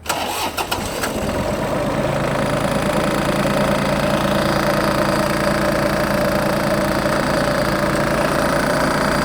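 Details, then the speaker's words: Iseki TM17 mini-tractor with front loader and rotary tiller, 627 engine hours: brief crank, catches at once, then a steady, even idle with no knocks or misses; revs rise and fall smoothly when blipped. Normal start and idle. "Двигатель работает ровно. Можно погазовать. Обороты поднимает, опускает тоже плавненько."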